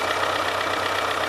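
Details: DT-75M crawler tractor diesel about 20 hours after overhaul, idling: dull regular knock over low idle, less audible at high rpm; owner suspects connecting rod bearing or small/big end, possibly stretched rods; oil pressure somewhat high.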